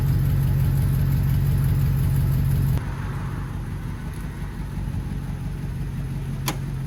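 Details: HD truck "Holly" V8 first start after a coolant leak repair, coolant topped off, fan no longer contacting the shroud: steady low idle with an even, smooth beat, no knocks, squeals or fan rubbing; engine healthy, staying dry.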